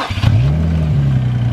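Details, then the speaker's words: Infiniti G35 started without jump box, battery said to be good: brief crank catches at once, settling into a steady, deep, even idle; healthy start. "y'all heard that right yo that battery is money money"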